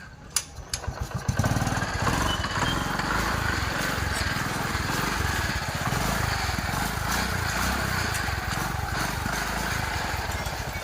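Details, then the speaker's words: TVS XL 100 Heavy Duty engine after valve tappet adjustment and tappet cover refitted: brief start-up, then a light, steady idle putter with no top-end ticking; tappet noise problem solved. "अब देखिए उस गाड़ी को live start करके उसका volume में आपको दिखा देता हूं प्रॉब्लम सॉल्व हो"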